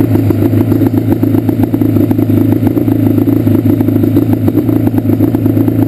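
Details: Yamaha Banshee two-stroke at idle: choppy, uneven clatter about four pops a second with gaps and stumbles; misfire on the left cylinder, pipe not even warm; carbs rebuilt and balanced, air screws adjusted, problem does not follow plug.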